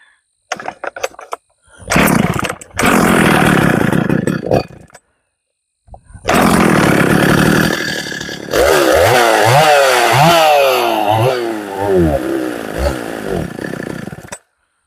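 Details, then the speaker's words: Poulan 3450 chainsaw, ran well the day before, possibly long-stored and barn-dusty: fires, dies and restarts, then surges up and down without holding steady revs; running rough, likely needing tuning. "It ain't liking it, is it? That's strange. This thing's running good yesterday."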